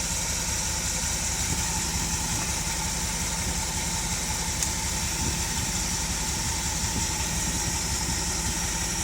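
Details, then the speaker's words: 1971 Dodge Pace Arrow 318 V8 with a newly installed Pertronix Ignitor and coil, not a completely cold start: a steady, even idle with an unbroken rhythm, no misfires or ticks; sounds healthy. "sounds pretty good to me and we had it running just a little while ago so this isn't a completely cold start"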